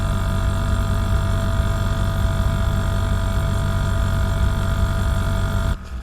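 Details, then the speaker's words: Air conditioner that wasn't cooling, after connecting a run capacitor: steady, even compressor hum with fan whoosh and no knocks or rattles; compressor running normally. "ตอนนี้เสียงคอมเพรสเซอร์ทำงานสม่ำเสมอนะครับถือว่าโอเคนะครับ"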